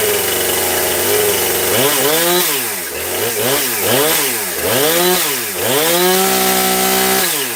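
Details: New Husqvarna 460 Rancher chainsaw first start, bar fitted, apparently already tuned: revs up and down cleanly, each blip rising and falling smoothly with a crisp steady idle between; running well out of the box.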